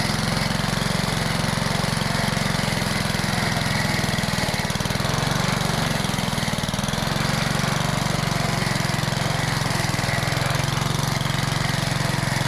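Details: Old Rover lawn mower, first start after sitting 10 years, with the primer bulb refitted and primed: the small single-cylinder engine runs at a steady fast beat with no misses or surging; clean, even running.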